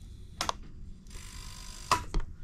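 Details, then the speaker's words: Early-model Honda Rancher 420 ATV, ignition switched on: two sharp fuel pump relay clicks with no pump hum, so no fuel pressure and the engine cranks but won't start; failed fuel pump, fixed by replacing it with an aftermarket pump. "so more than likely this is what the problem is you're just not getting any fuel pressure this thing will just turn over and over and over and will not start"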